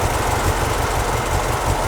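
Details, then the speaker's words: 1968 Morris ambulance van after a simple carburettor fix: steady, low, even chugging idle with regular firing pulses, no misfire or rattle; normal idle. "doesn't it that sounds lovely not too bad isn't it with a simple fix to the carburetor the moris is on the road and running"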